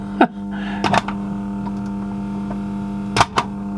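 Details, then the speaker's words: Silver ST3500 boombox cassette deck: steady motor hum with mechanism clunks, tape starts then stops while rewind works; worn drive belt suspected, belt later replaced — cassette playback stopping. "well the sound of it it needs a new belt [Music] it's starting up and then stopping rewind works typical motor wearing sound"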